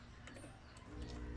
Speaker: Umuugong yung transformer natin. Okay. Umuugong yan kasi sa syempre shortage yung sa secondary niya.